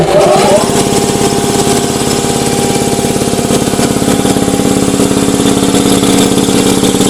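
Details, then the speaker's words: Ingersoll Rand 80-gallon vertical air compressor, 5 hp, 230 V three-phase, cover off and temporarily wired: motor spins up in under a second, then steady even rapid pump thumping, no knocks or squeals; normal running. "Here we have an Ingersoll Rand 80-gallon vertical compressor, 5 horsepower, 230 volt, 3-phase, and we're going to fire it up just to show you that it does operate."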